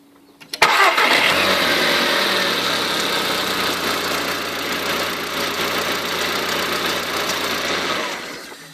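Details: Volkswagen Polo GTI cold start: engine runs loud and raspy at high cold idle for about seven seconds then quiets; the weird noise goes away after about 10 seconds, source undetermined.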